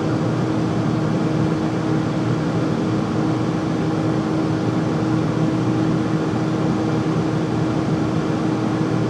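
A constant loud hum with a steady mid tone and airy rush throughout, no change in speed; an unusually noisy furnace, cause unknown.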